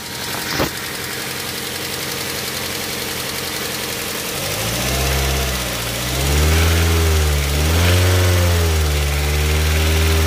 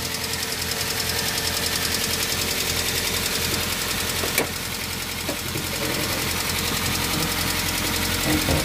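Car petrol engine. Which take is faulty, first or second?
second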